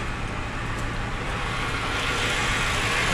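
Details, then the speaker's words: Totaled 2006 Mercedes-Benz E500 4matic V8 wagon with heavy front-end damage, coolant low, gas smell noted: steady, even idle with soft uniform beat over light hiss, no knocking or tapping; healthy idle. "it's running pretty good no knocks or anything running pretty good"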